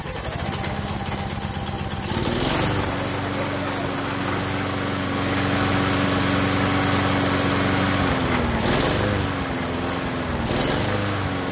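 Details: Lawn mower small engine after carburetor cleaning (tiny jet cleared) and new fuel line; catches after a few cranks and settles into a steady even drone; running normally.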